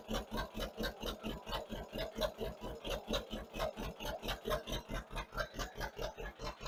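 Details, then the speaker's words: 1958 John Deere 530 with a rebuilt carburetor, load needle set back to two turns from two and a half and low idle turned up slightly, tuned by ear. A slow, even putt-putt at about three beats a second with no skips or hunting: normal idle. "Turn up our low idle just a very little bit so we're idling smooth. And we're going to leave it right there."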